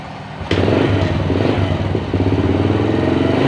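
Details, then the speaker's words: Motorcycle after repair of oil-starvation damage (knocking piston, worn rings, loose rod, scored liner), oil refilled, cam chain replaced with new GN5 part: rough noise gone, steady idle with faint cam chain hum; normal idle. "Suaranya sudah lumayan ya, lumayan berkurang, suara kasarnya hilang, tapi ada suara dengungan teman-teman. Dan suara dengungan itu tadi itu adalah suara dengungan rantai kamrat ya, rantai keteng."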